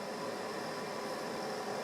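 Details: West Point space heater that had only been blowing lukewarm, after reassembly: steady, even rush of air, no ticking, rattle or hum; fan now pushing air and heat. Normal fan heater operation after repair.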